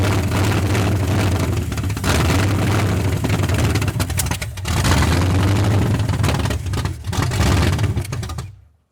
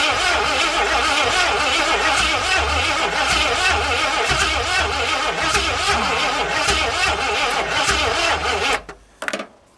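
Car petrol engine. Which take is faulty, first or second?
second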